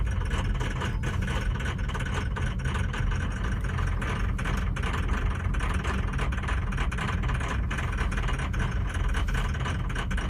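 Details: 2003 truck with about 310,000 miles, P1000 code, cold start: heavy lumpy low rumble with uneven beats at rough cold idle; misfires suspected on cylinders 2, 3, 5 and 8, injectors or injector wiring/plugs suspected.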